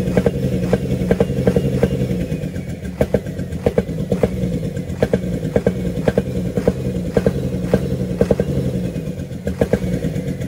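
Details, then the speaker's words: UD Nissan PKD 411 truck, NE6 six-cylinder diesel idling: sharp regular chuff over the rumble, loudest toward the intake side; intake valve found leaking. "आवाज किस तरह से आ रही है छुक छुक की आवाज आ रही है और इनटेक की तरफ से ज्यादा आवाज आ रही"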